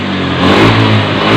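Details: Honda Beat FI scooter after CKP sensor repair: strong steady high rev held at full throttle with slight rise, no stumble or cutout; previously stalled when hot with code 52, now normal.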